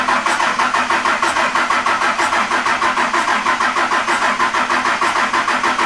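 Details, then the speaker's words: Cummins diesel swapped into a Jeep YJ, first start; settles into steady rattling idle about three even pulses per second, no stumbles, briefly choppy at first; normal idle. "Nice. That is. Sounds good. Had me a little concerned at first. It was a little choppy sounding, but they sound so funky pulling intake air too."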